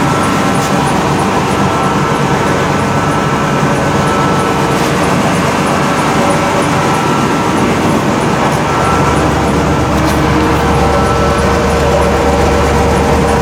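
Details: 1991 Ford F-150 300 straight six, quick cold start in winter: loud, raw blatting idle with rough low rumble and no muffling, exhaust missing; owner says possible exhaust leak too.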